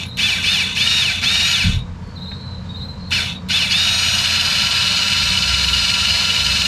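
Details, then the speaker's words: 2017 Lexus RX 350 F-sport rear caliper electric parking brake motor run on a 12 V source via alligator clips during rear pad replacement: high steady whine, brief pause, then even running until it deadlocks; parking brake fully retracted, normal. "and it's going the right way so you'll hear this there hear that that's when you know you hear the motor it Deadlocks you're done that parking braik is the whole way back"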